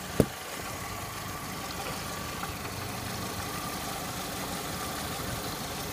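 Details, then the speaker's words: Saturn S-series still showing code P0440 after its metal hose into the exhaust manifold was cleaned: at steady idle a faint, irregular metallic clank sounds now and then; the owner suspects the catalytic converter, with occasional liquid gurgling sounds, and the location is unclear. "sounds like a clank, clank, clank, clank, something clanging."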